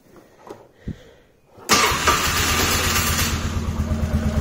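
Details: 2007 Polaris Sportsman 450 after fuel pump replacement, petcock reopened, tank low: short crank, catches instantly and settles into an even, steady idle with no stumbling; normal start and idle.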